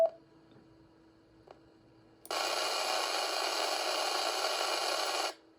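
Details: Yaesu FTM-200D radio, cold, into a 50-ohm dummy load on a bench power supply. A quiet hum, then a sudden loud steady hiss for about three seconds from the internal and/or external speaker, only when transmitting digital; not band- or power-specific.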